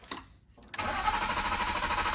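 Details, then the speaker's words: BMW Z3 M Coupe S54, hurricane flood salvage, crank sensor connector corroded from being underwater: starter spins at a steady whirring crank but never fires, no RPM reading while cranking, no crankshaft sensor pulse. "So what does that mean when the RPM's not moving while I crank? Looks like you have no pulse from the crankshaft sensor. Oh, so it needs that to start."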